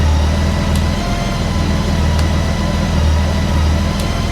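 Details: Honda Goldwing 1800 idling just after an oil and filter change, on a hot day: smooth, even low purr with no ticks or knocks, a faint periodic click in the background; sounds smoother after the oil change; normal idle.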